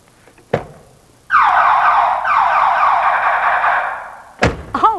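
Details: Code Alarm all-in-one car alarm test: the system is armed by remote, then a door is opened, and right after a door thump a loud warbling siren rises and falls steadily, showing the alarm trips correctly.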